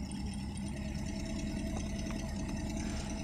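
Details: Colt engine that would start but stumble, slow pull and backfire: uneven, stumbling idle with irregular missed beats under a steady hum; one cylinder dead, checked at the plug wires, cylinders 4 and 2 noted.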